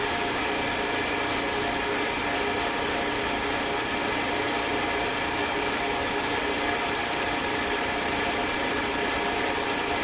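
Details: Eastwood Elite QST 30/60 scroll air compressor after replacing the failed pressure switch, which had never cut out and popped the 30 A breaker: tank around 75 psi heading to the 145 psi cutoff, even whirring hum, light regular flutter; normal running.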